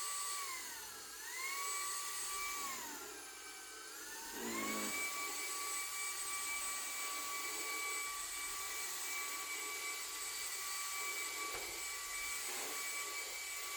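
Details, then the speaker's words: Hoover ONEPWR Evolve Pet Elite 2 cordless vacuum on carpet: the high whine sags and recovers twice, then holds, as the brush-roll fins catch long carpet fibers. The brush roll is stalling, and a replacement unit did the same. "the catches inside of the brush roll, it just stops."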